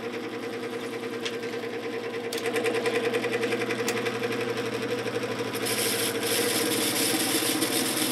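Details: 1950s GE F11W3 window fan, before oiling the motor, spins down too quickly: steady motor hum with a light rhythmic clatter three or four times a second that builds as it speeds up, likely dry bearings.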